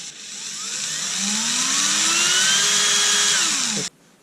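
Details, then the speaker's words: Erbauer 18V brushless drill fitted with a generic AliExpress driver board replacing the apparently failed motor driver circuit: clean whine climbs smoothly as the trigger is squeezed, holds, then drops off; motor runs normally under variable speed control after repair. "And we've got variables B. Look at that. That's about as fast as I walk. We finally got it."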